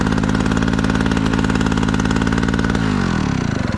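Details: Generator engine salvaged from scrap, first start: catches and runs with an even, steady beat of about three firings a second, then winds down; running normally.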